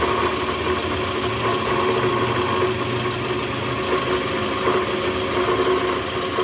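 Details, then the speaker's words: 2010 Toyota Vellfire, 2AZ-FE 2.4L, 100,000 km, cold morning start, in reverse with the brake held: a steady low rattle and grumble from the lower engine under idle, indicating a worn or broken balancer shaft gear. "Oke jelas ya bunyinya [Musik] ya bunyinya jelas banget bunyi gitu di bagian mesin Nah itu indikasi balancer shaft-nya udah oblak atau hancur nih guys karena kilometer juga udah tinggi udah 100.000 mobil tahun 2010 nih indikasi balancer shaft-nya oblak atau hancur"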